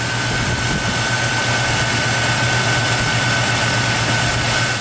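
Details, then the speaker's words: 1996 Toyota 4Runner, high mileage, engine idling with live data reading about 819–820 rpm: smooth steady hum from the engine bay, no knocks, ticks or hunting; normal, perfect idle despite a stored code. "even looking on the live data on the engine rpm it says it's a 8 19 8 20 somewhere there which is actually just perfect idle"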